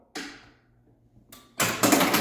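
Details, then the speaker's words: Earth, Whirlwind and Fire pinball machine, first power test after restoration and board install: relay clack, short pause, then loud burst of startup sounds and rattling coils; powers up cleanly. "Oh, that sounds good. That sounds good."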